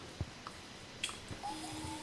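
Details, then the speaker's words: Aprilia Tuono Gen2 with key on after reconnecting a frayed ignition-switch wire that caused an ECU Disconnect error: a couple of soft clicks, then a faint steady hum as the fuel pump primes normally. "there's the fuel pump. Now it's priming."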